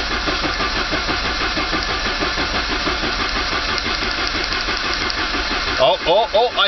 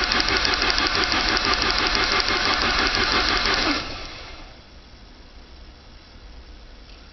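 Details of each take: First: 1985 Saab 900 turbo cranking with the starter to build oil pressure after removing a steel piece from the oil pump relief valve and priming the pump with grease; even cranking about 3.5 beats per second, no knocks or grinding. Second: Saab 900 turbo restarted after oil pressure loss caused by a tiny steel piece jamming the oil pressure relief valve open; oil pump and relief valve removed, pump primed with grease, new filter. Loud metallic rattle of about three beats a second right after start, quieting sharply as pressure comes up.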